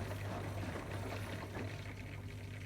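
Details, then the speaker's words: Bosch Serie 6 washer dryer draining on spin-and-drain after clearing a blockage of fluff and hay; pump a bit tired but steady low rushing and gurgling through the waste pipe, water level dropping substantially, draining normally. "And what you'll see, the pump is a bit tired, but the water has dropped substantially. And you want to hear nice water noises in the pump"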